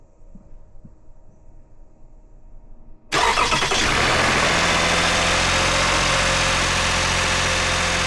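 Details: 2009 Toyota Highlander, 276,480 miles, cylinder 2 misfire with engine light; engine started after swapping coils 2 and 4, catching and settling into an even, steady idle with no stumble or miss; normal idle, runs smooth and quiet.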